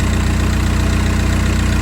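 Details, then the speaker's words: VW Jetta TDI at idle after replacing the noisy-bearing AC compressor clutch; even diesel clatter with no squeal or grinding from belt-driven accessories, noise gone. "And there we go. No more noise from the AC compressor."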